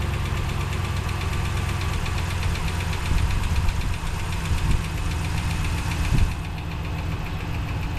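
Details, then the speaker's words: 2017 Ram 1500 Hemi, 143 thousand miles, bought as a no-start parts truck; fast even ticking in time with the idle over a steady V8 rumble, suspected exhaust manifold leak, possibly lifter as worst case; manifold gaskets on order. "it's a 2017 and all these hems have exhaust manifold leaks and this thing has 143 on it is it an exhaust manifold leak"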